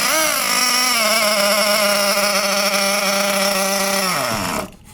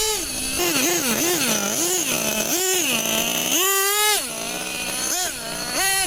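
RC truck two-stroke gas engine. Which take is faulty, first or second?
first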